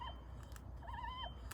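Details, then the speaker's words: 2005 Subaru WRX STI, old removed Gates aftermarket water pump turned by hand during timing belt replacement: thin, wavering squeak rising and falling, a suspected bad bearing; pump replaced with a new one. "but anyway this one was making some weird noise probably hear"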